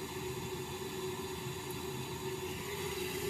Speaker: I'm gonna go with gas valve because that drop was moving very slowly, only by about half a millibar, and the fact that I'm not actually even hearing the initial ignition when you hear the